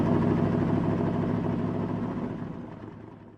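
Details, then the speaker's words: Chevrolet S-10 race truck after fitting an MSD distributor shaft in its housing with a redrilled Mallory bronze gear, initial timing set at 36 degrees: deep lumpy race-engine idle with steady even firing beat; normal running. "So once we fired the truck up, I got the timing light out, set the initial timing at 36 degrees like we always do, and that was it. The truck seemed to be ready to go."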